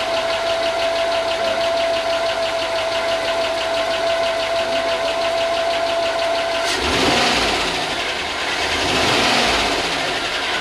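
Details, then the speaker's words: Chevy 5.3 LS in a Tahoe donor, first start after sitting a long time, grounds just fixed, good oil: quick light ticking about three per second over steady idle hum, then a burst of hiss; owner thinks lifters need to pump up. "it's ticking like I just sent you a video. It's ticking. I think it's just lifters though."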